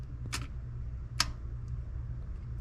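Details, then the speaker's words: Chevy C20 6.2 diesel, DB2 injection pump fuel cut-off solenoid, which earlier clicked but seemed stuck: two sharp metallic clicks about a second apart over a low hum as the solenoid is energised; the plunger snaps in and out as it should. "this is going to be the solenoid so I pull this hear that and you see the spark I'll click it again"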